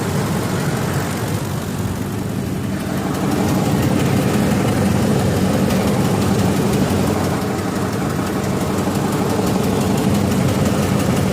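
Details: 2004 Ford F-150 5.4L: a low, rumbling idle with a faint, steady tick about three times a second. Replacing the VCT solenoids helped the dieseling sound, but the ticking's cause is unknown.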